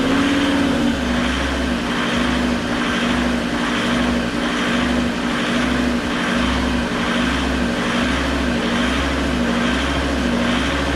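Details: Fiat Marea 130HLX, sat in a workshop for years, first restart after code light cleared: slow, steady surge with revs climbing and sagging about every second and a half; owner suspects something left off; hunting idle, cause unconfirmed.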